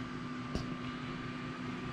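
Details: Computer power supply squealing with a thin whistle, hum and a sharp crackle while smoking on power-up; the power supply is failing.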